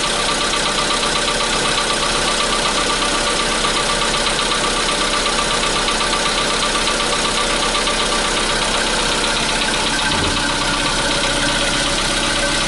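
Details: 2015 Volkswagen Polo Sedan, CFNA engine, cold start at 0 °C air temperature: a cold idle with a rapid, fairly regular tapping of about four per second over the engine hum; engine knock, cause not known.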